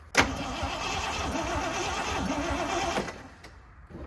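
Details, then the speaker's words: 1979 Jeep J20, sat about a year with low compression, choke closed to draw fuel: sluggish, uneven cranking for about three seconds that never builds speed; slow cranking from a weak battery. "that battery really not good"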